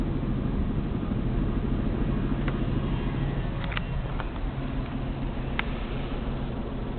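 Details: Isuzu 6VD1 engine idling low and uneven with a lumpy, wandering beat about three pulses a second and no steady rhythm: rough idle.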